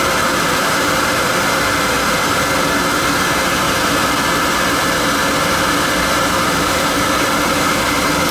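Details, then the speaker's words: Riello oil burner during annual service, on heat call with thermostat turned up: burner starts and fires with a steady, even flame roar, no pulsing, rumble or sputter; lights and runs nice and clean, normal firing. "Started up nice, you hear it? Nice and clean."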